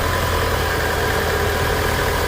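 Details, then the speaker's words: 2011 Mitsubishi Eclipse 2.4L just started, warming up with AC on: steady, smooth low hum, no knocks or misses; normal warm-up idle. "We'll let this warm up. It seems pretty good. Looks like the AC's on."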